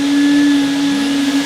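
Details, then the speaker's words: Salvaged two-motor vacuum used to clean wood boiler tubes, one motor kicking in then the other; steady even whine, constant pitch, no rattle or grind; normal running. "actually it's got two motors on it so you hear one kick in then you hear the other one kick in"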